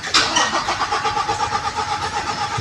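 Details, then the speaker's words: Toyota Fortuner 2017, towed in: starter cranks at a steady whirring rhythm for seconds until battery runs down, engine never catches; crank no-start blamed on the immobilizer, needing module programming. "So na-confirm na natin na ayaw tumuloy sa pag-andar yung makina. Puro ridundo lang 'yung narinig natin kanina."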